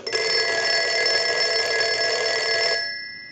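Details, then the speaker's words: Western Electric 302 rotary desk telephone, final checks after repair of a ringing issue, rung with a line analyzer: strong, even bell ring for nearly three seconds, then a clean fade; normal ringing. "so now what we want to do is we'll go ahead and start our final checks and we want to ring the telephone with the analyzer"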